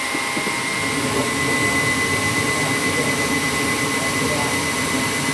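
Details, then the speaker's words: Old gas furnace, owner complained of clicking at startup (just the gas valve clicking in): smooth steady rush of air with faint constant high tone, no clicks or wobble; fan capacitor tested within tolerance, blower running normally. "I checked the fan capacitor, it's fine, so that's not a problem. Sometimes the doors are loose and make a noise. I don't think you have an issue here, so."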